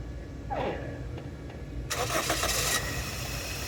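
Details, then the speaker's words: 2002 Toyota Echo with a bad ignition coil fitted: short crank catches into about a second of rough running, then dies; starts then stalls, and a short inside the misfiring coil is suspected, not confirmed. "so with that the coil that was causing a misfire onto the vehicle the vehicle actually stalls out so that means that there's probably a short inside of the coil and it's causing everything to go Haywire"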